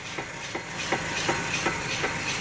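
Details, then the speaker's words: Chevrolet Malibu, right front wheel jacked up, traction control off: sharp hollow clunks about three a second as the wheel is rocked by hand, with no load on it, from play in a worn front wheel bearing. "that's what I need to do here it's in the damp berry there's an easy 100 bucks gone"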